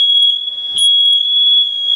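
Loud, continuous shrill high-pitched tone with nothing else mechanical behind it; the smoke alarm is going off, cause unknown.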